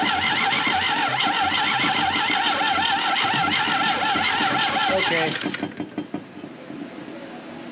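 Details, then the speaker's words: 1968 BMW 1800 barn find, gas poured into the carburetor: the starter cranks steadily at roughly three to four compressions a second for five seconds on a weak battery, never fires. Owner suspects oil-fouled plugs; no spark was found afterward. "pumping a little not a lot but it's pumping I'll tell you I think got them plugs filed up"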